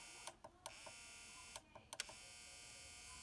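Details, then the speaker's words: Denon DN-2000F MkIII CD player: tray struggles and stalls with sharp mechanical clicks and squeaking over a steady hiss, jamming and failing to close; greasing was tried, but the actual cause was a loose pulley, which was replaced. "so I just need to grease this I can hear it squeaking so that's what needs to be fixed"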